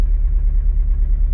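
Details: 1982 Porsche 924 Turbo after rebuild, on a test drive: low, deep idle with a slightly uneven, lumpy beat, running on three cylinders. Misfire on one cylinder, likely from a disconnected plug lead.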